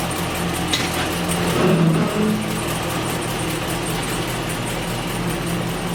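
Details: 284K-mile Chevrolet Silverado V8 just fitted with a Chopacabra cam, new valve springs and oil pump, coolant not yet bled: steady deep idle with uneven loping beat about three or four pulses a second; normal cammed V8 idle.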